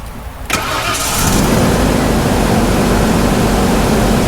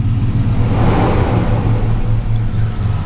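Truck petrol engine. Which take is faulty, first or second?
first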